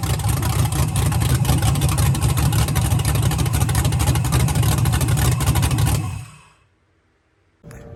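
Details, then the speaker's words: First start-up of a freshly built big-cam V8 with Holley manifold, starter hot-wired from a battery, thick break-in oil, oil pressure about 45: loud choppy lopey idle with no ticking, then shuts off; healthy normal lumpy cam idle. "There's no ticking noises or anything. So as you can hear in the video, the car sounds amazing, healthy."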